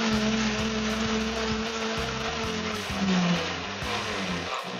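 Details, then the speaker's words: Countertop blender after zero-cost repair, test with ice, water and iced tea mix on slowest setting: steady motor hum with ice clattering, pitch sagging slightly under load; running normally. "seems to be doing good i'll do it one more time at a little higher speed for a minute"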